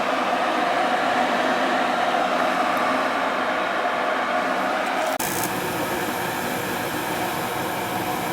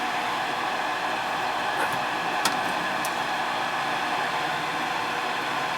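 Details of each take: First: Ruud gas furnace that wouldn't fire up, burner running while gas pressure is checked and the gas valve adjusted, set to 35: steady even burner roar with a tone shift during adjustment, no popping or rumble; firing normally. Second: Ruud gas furnace in heat mode that runs but won't fire up: steady whooshing inducer fan hum, vacuum switch pulling in, no ignition click or burner roar; tech suspects board or gas valve, finding is an open gas valve coil.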